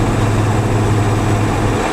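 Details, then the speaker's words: Old turbo 7.3 Ford F250 driving on highway with radiator mostly blocked off: steady low hum and growl alternating quiet and loud, from a worn front left wheel bearing, likely present the whole trip. "So our front left wheel bearing's unhappy, but I think it has been for the whole trip."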